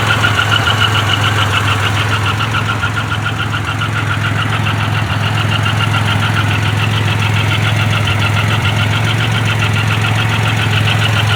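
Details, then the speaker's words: Grand Am with 3800 supercharged swap, fresh oil change, known exhaust leaks. New quick regular tapping at steady idle, about three to four per second. Owner unsure whether it is a lifter, loose rocker or rod knock. "is that a rod not foreign maybe a lifter man i hope that's not a rod knock maybe a loose rocker i don't know guys comment and tell me what you think this might be"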